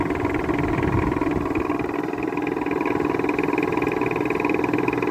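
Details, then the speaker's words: Whirlpool air conditioner from 2000, neglected for about two years, on high fan: the bearing noise faded once it warmed up, leaving a smooth, steady fan hum with a gentle pulse. "sounds like it's slowly going away i guess i'll let it run see if it goes away and it just did that's actually quite a typical nice bearing noise so i guess they just really had to heat up and now it's quiet"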